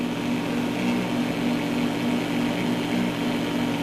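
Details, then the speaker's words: Cheap generic laptop power adapter with ungrounded AC pin: steady low electrical hum with buzzy overtones over hiss from the speakers; switching noise leaking from poor shielding. "See, now that's cranked up and it's pretty noisy. But that's right full blast."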